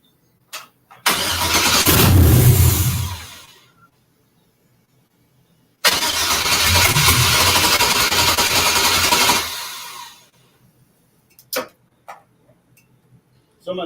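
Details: Crank, no start at the first start attempt after an LS V8 swap into a 1963 Pontiac Grand Prix: two bursts of steady cranking, just under four turns a second, without firing. Low voltage and tune setup are suspected.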